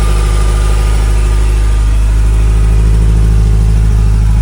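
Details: 1981 Ferrari 308 GTSi, fuel-injected, 38K miles, 5-speed manual, recorded close to the engine at idle: deep, steady, even burble with no ticking or knocking; normal healthy idle.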